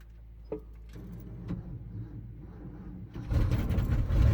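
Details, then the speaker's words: 1976 Ford F250, 390 FE V8, 4-speed, with accelerator pump primed: slow, uneven cranking with weak separate thumps for three seconds, then it catches and roars up; turns over sluggishly, struggles to start, cause not confirmed. "let's go ahead and crank it we can run the throttle here baby get her to light off oh she's pretty sad"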